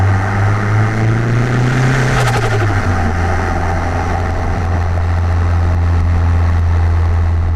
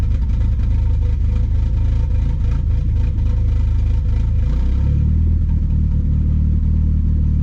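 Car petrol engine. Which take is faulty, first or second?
second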